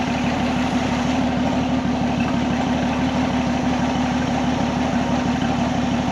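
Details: 1979 Jeep CJ7 that sat in a field for over 30 years, cranked: steady starter churn at about two beats a second with no catch or firing; the pump pulls no fuel.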